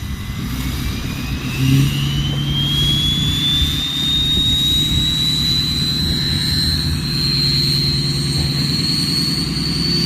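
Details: Drive-by of a Ford 6.0 Powerstroke diesel truck with a bigger turbo, recorded outdoors in strong wind: a clear whistle climbs steadily over the rumble as it accelerates past. A healthy turbo spooling up.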